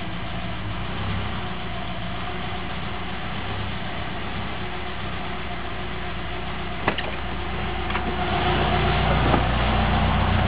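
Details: 1998 Subaru Forester on a cold morning after about 1 mile, idling in heavy traffic: idle hunts, with rpm and loudness climbing after a steady stretch. It seemed to be fixed by cleaning the IACV, MAF sensor and throttle body and lubricating the accelerator cable.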